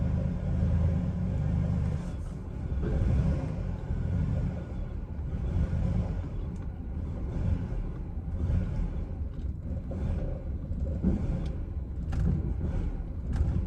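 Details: Chevrolet Silverado with a nearly dead battery: deep, uneven idle rumble that surges and dips every second or so; very rough idle.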